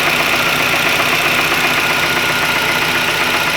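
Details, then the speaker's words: 2001 Ford Ikon after engine work, timing chain already replaced without cure: idle with harsh hissy rattling edge over uneven beat, noise rising with revs, engine vibrating slightly; abnormal idle noise, cause unclear. "This noise is rising as I press the rev. And now it's normal, but it's not the normal sound that it makes."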